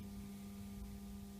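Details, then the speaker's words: Dehumidifier WDH-101P, about 15 years old: steady electrical hum with no moving air, fan not turning; fan motor seized after long time without lubrication, to be repaired. "the fan just stuck after a long time, no lubrication. So we're going to try to repair this."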